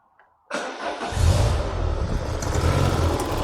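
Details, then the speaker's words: Citroen BX 16V at wide open throttle: lumpy spluttering misfire with lots of smoke; fuel pressure regulator diaphragm leaking petrol into vacuum line, overfueling. "So, it's actually misfiring full stop now. As you can see, it runs, but it runs like crap. Very lumpy, lots of spluttering, lots of smoke, and a to get it going."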